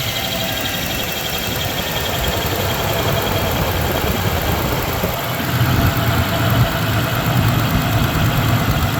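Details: 1993 Ford Ranger 3.0 V6 at idle: uneven thumping with a stumbling beat pointing to a dead cylinder; misfire, cylinder 3 suspected.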